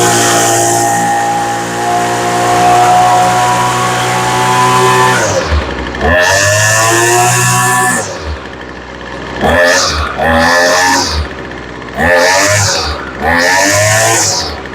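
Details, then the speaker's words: Poulan Pro weed eater after a carburetor kit rebuild and high-speed screw adjustment, off choke: a steady idle, then crisp repeated throttle blips with a slight rich burble at the top. It runs well. "Now she's running pretty good."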